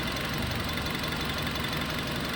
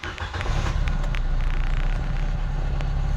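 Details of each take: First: Nissan Livina after repair of rough, shaking idle: petrol engine idles steadily and evenly with no stumble or vibration, though owner notes it still occasionally turns rough briefly then settles; coils had been checked. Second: Nissan Livina with check engine light taped over: lumpy, uneven petrol idle, misfire making the whole body vibrate, also heard at the exhaust; idle sometimes normal then suddenly rough.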